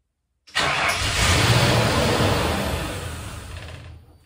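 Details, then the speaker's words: 1962 Ford F100 fitted with a 4.6 engine, temporarily hot-wired: it catches strongly, runs roughly for about three seconds, then dies. The owner suspects a system is keeping the fuel pump from staying on; the cause is unconfirmed. "starts right up another problem it kills right away so I'm not quite sure what that is all about"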